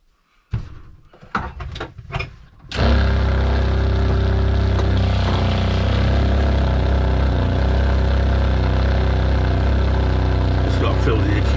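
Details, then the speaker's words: Narrowboat freshwater pump, newly fitted replacement for a leaking one, running off batteries possibly low after heavy use: after handling knocks, a steady low even hum without surging as it slowly repressurizes the accumulator; running smoothly. "up so it takes a little while to do repressurizing the accumulator I might be getting lower battery power as well I had this pump running a lot today"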